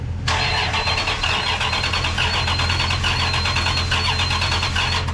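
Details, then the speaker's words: Freshly rebuilt 5.9 Magnum V8 in a 1996 Ram, first crank with no accessories fitted: steady starter cranking for about five seconds with no firing. The fuel pump isn't cycling on with the key, though the relay was checked good. "so it's turning over but we're having trouble with the fuel pump it's not cycling on with the key"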